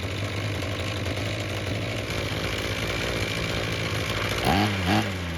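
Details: Ryobi two-stroke string trimmer that wouldn't start, after a second ultrasonic carb cleaning and removing a stuck screw, no adjustments made: buzzes evenly with steady firing and picks up cleanly on quick blips. Normal running.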